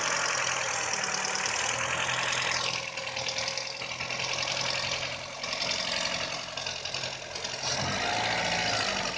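Idle keeps surging and sagging every couple of seconds with ragged ticking on top; the engine isn't running smoothly, cause not obvious.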